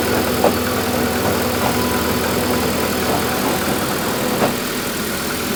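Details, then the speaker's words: Proton Wira, idling with airbox off: steady even idle, no whine from the fuel pump. Previously noisy pump was quieted by spacing it up on a thicker gasket. "Bit better, isn't it? I certainly can't hear that. How is it you you fixed that? I've spaced the pump out, son. Put a thicker gasket on the top of the pump to lift it up off the bottom."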